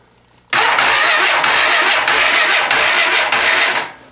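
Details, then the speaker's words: 2006 Odes 400 ATV (Honda clone), 1,000 miles, about six degrees outside, weak battery, after valve lash reset from about 0.020 to 0.006 in: a brief crank, then it starts easily and runs evenly. "over beautifully doesn't struggle batteries a little weak"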